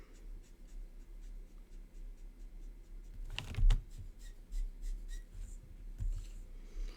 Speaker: you hear that squeaking of my marker that's because it's in desperate need of being refilled so when you hear a squeak I your markers it's really a smart thing to stop what you're doing and refill them